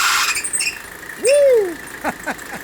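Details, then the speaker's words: Mercedes W126 300SD at idle with AC running and an aftermarket ribbed AC belt: a sharp, slipping squeal with chirps, which stops briefly when water is poured on the compressor pulley; the belt is at fault, fixed by a genuine tightened belt. "I'm going to dump a little water onto it now listen up see if you can hear the difference there we go you hear that the noise went away it's gonna come right back"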